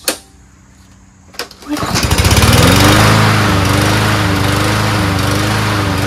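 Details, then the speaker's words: Toro Recycler 7.25 Briggs mower, previously needing three or four pulls, after spark plug replacement (old plug was tough to turn and wobbly): catches after a couple of seconds, steady even single-cylinder drone, no misses or surging; running properly. "so now it starts up runs pretty well so what I did was I changed the spark plug"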